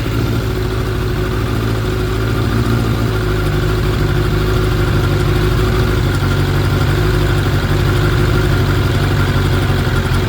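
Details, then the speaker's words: 2006 Suzuki GSX 600F Katana four-cylinder after carburetor cleaning, sync and float set to 18 mm, mixture screw setting guessed: smooth, even low burble held steady with no hunting or misses; normal idle. "sounds like a good idle right now uh so I'm going to give it gas give it some more fuel"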